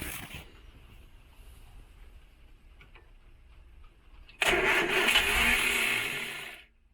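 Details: 1968 Morris Minor 1000 during its first startup of 2023, battery voltage checked and not that low. About two seconds of cranking with a brief hint of catching, then dies; almost fired but no start.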